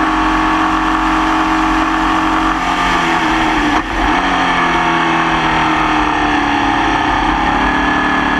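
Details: Formula Vee racing car at Croft in the wet: loud high-rev engine with a ragged, uneven note and a dip midway; nasty misfire present the whole race, cause unknown.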